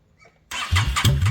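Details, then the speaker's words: 2002 Yamaha V-Star XVS 650 V-twin after sealing carburetor and fuel petcock gas leaks: starts straight away into a lumpy, even low idle; no leaks. "got the carb sealed it's not leak got the fuel petock sealed it's not leaking um mean the bike is running"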